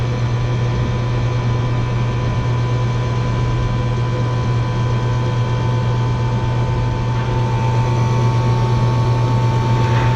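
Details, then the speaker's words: Three-phase compressor on an RTU with burnt disconnect contacts and low voltage: one compressor on, drawing about 22 amps, with only one contactor pulled; a deep steady hum with no rattles, clicks or surging; the compressor is running normally. "one compressors on five and so it's not bad"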